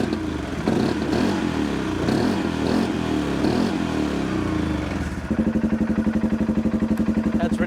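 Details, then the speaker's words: Lifted 2016 Polaris Sportsman 570 first start on freshly rebuilt engine, blowing out dust: revs cleanly then settles to a steady, even idle; engine sounds good, unrebuilt clutch slightly noisy, normal running. "but she's running that engine sounds good the clutch is a little noisy"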